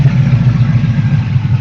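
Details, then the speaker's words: 1967 Pontiac LeMans with a 1975 Pontiac 400 and Holley 650 double pumper, run on a temporary electric fuel pump without radiator, good oil pressure: deep, even V8 burble with steady lope, no knocks; normal idle. "Shut off like it started up yesterday. £60 of oil pressure. Sweet."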